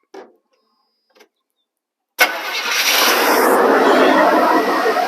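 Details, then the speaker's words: 1985 GMC Sierra 1500 after years of neglect, smog delete, new wires, swapped carburetor, fresh oil, little fuel in the bowl; starter grinds steadily about three turns a second but engine never catches, crank no start, owner suspects not enough fuel. "hold on okay try it again stop maybe i don't have enough fuel in there try it again"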